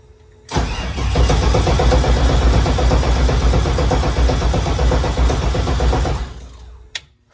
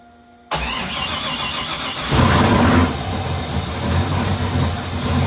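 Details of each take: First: LS3 engine on first start attempt after regrounding the coils to the heads and fixing a starter wire grounding on the starter; it cranks steadily, about four per second for five seconds, without catching, with no power to the coils or fuel rail and no spark. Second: Freshly installed LS3 V8, first ever start with oil but no transmission fluid, after fixing one wire: fires right up, one quick rev blip, loud steady idle, killed right away; normal start.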